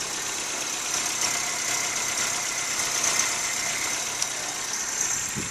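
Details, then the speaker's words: 1976 Toyota Corolla TE31 with new catalytic converter, passed smog test; steady, even idle with smooth fast patter, no knocks or misses; runs really smooth, owner daily drives 60-mile round trips; healthy engine. "you could tell it runs really smooth"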